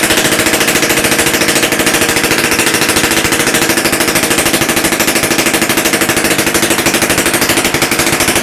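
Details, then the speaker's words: Romet S38 two-stroke moped engine, freshly rebuilt with new parts (Almet cylinder), first start on a syringe of fuel, bench-run without exhaust elbow or muffler: loud, sharp rapid crackle at a steady fast rhythm; running evenly. "Nawet powiem szczerze że ładnie odpalił"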